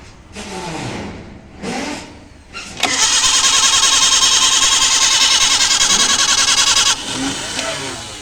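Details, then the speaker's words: Maruti Gypsy carburetted petrol engine, cold start after long standing, petrol poured into carburetor: steady cranking about three and a half turns a second for four seconds, never fires; carburetor idle valve suspected, replace or clean. Finding: cranks but won't start. "ഇത് complaint കാർബറേറ്ററിന്റെ ideal വാൽവിന്റെ ആണ് just replace ചെയ്യോ അല്ലെങ്കിൽ അവിടെ ആ ഭാഗം ഫ്രിഞ്ചിൽ petrol നിറച്ച് clean ചെയ്യുകയോ ഒക്കെ ചെയ്താൽ സ്റ്റാർട്ട് ആകും"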